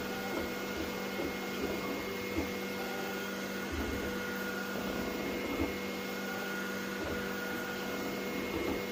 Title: Ender 3 v3 plus Grinding sound😐#3dprinting #ender3 #creality